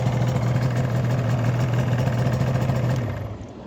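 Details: Yamaha R1-Z two-stroke engine after full top- and bottom-end overhaul: steady, even low drone with no knocks or rattles, then a clean shutdown at about three seconds; running healthy.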